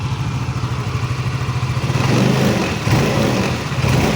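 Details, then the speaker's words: Yamaha Mio MXi 125 FI scooter after transmission gear set replacement: even, quick idle that swells cleanly with throttle, no gear whine or grinding. Only the covers rattle. CVT crankcase bearing still noisy, pending replacement. "So ito ngayon, goods na siya. Yan, pandarin natin. Maingay lang itong kanyang mga cover at dito. Yan. Yan. Yung cover lang may ingay mga Diaz."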